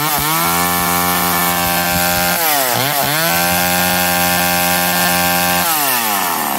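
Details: McCulloch Eager Beaver 2.0 chainsaw after rebuild, spark arrestor back on, probably warm, run to burn off old gas: crisp, even buzz holding steady, dipping briefly and picking back up; runs cleanly at high revs.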